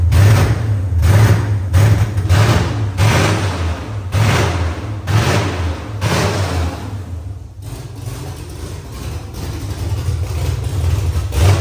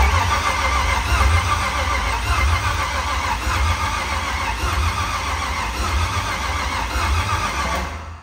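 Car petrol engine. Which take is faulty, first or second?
second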